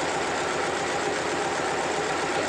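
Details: Yulin 2105 two-cylinder diesel on a rice mill, after readjusting the old injection pump plungers (some were sticking, making the governor unstable): even, steady low chugging with regular firing pulses and no stumbling; it now runs smoothly.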